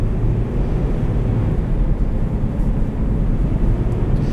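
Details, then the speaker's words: 2010 Nissan Xterra S, 176,000 miles, driving: deep constant airplane-like roar from big mechanical cooling fan over engine while accelerating; fan clutch stuck engaged. "the only thing is the cooling fan big mechanical fan is stuck on so you're gonna hear that"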